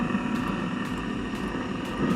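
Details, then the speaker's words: Eberspacher Hydronic 10 kW coolant heater after pump repair, air purged from fuel line and restart cycle: steady even roar of burner and fan with no surging; heater running normally. "okay it's getting there [Music] yeah it should be working"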